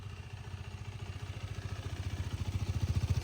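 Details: 2019 KTM RC 390 BS4 single-cylinder, about 17,423 km, started for a listen: thumping beat climbs steadily from about three to four pulses a second on revving, clean and even with no knocks; slight vibration noted but no sound issues.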